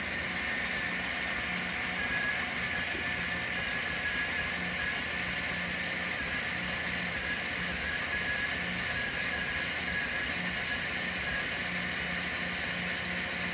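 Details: 1993 Chevy G20 van, 5.7 L V8, after a crank/no-spark/no-start fault; the distributor base bolt is loosened and timing is being fine-tuned by ear. Steady, even idle with a faint high whine over a soft low pulse, no misses; it runs cleanly.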